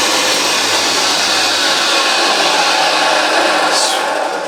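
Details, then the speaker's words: Vintage Hoover 612 vacuum after refurbishment; switch slightly iffy. Motor is thought to run slower than later Hoovers, giving a purr. Steady, high, airy roar at even pitch with no rattles or grinding; runs smoothly and healthily. "Have a look at that, but as you can hear, it is absolutely superb."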